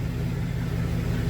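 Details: 2000 GMC Sierra 2500HD, new copper-nickel rear brake lines and fresh differential fluid, on stands in drive, two-wheel drive, rear wheels spinning: steady low hum, no knock, whine or grinding; drivetrain runs smooth, normal.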